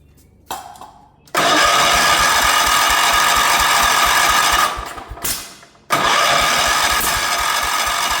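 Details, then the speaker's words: 1977 Wheel Horse B-100 lawn tractor, single cylinder, carburetor rebuilt, old fuel pump replaced, spark and fuel present, valves working: cranked with more throttle but never fires, cranking no start; earlier backfires through the carburetor, owner suspects timing is off. "All it wants to do is backfire through the carburetor. Doesn't actually want to start, which leads me to believe that it's potentially out of time."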